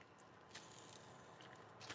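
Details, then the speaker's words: Transfer case from a 2007 vehicle, strip-down for rebuild, heat marks present: bearing turned by hand gives a faint gritty crackle and rasp with no smooth spin. It is the worst bearing yet, worn, chewed up and apparently spun on its shaft. "She don't sound super good."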